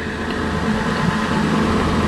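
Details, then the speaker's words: Toyota Highlander wheel bearing heard through a mechanic's stethoscope with wheel spinning: smooth, even whir, no grinding or clicking; this bearing is healthy. "ok ese valero se escucha bien a la experiencia que yo tengo el balero se escucha muy bien"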